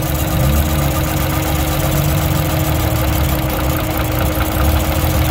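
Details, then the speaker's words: Drift car engine, owner suspects leakage through cylinder two intake valves pending leak-down test; loud idle with uneven stumbling beat instead of smooth hum, not running on all six cylinders; cylinder misfire at idle. "it's too much to ask for him to always run on six cylinders"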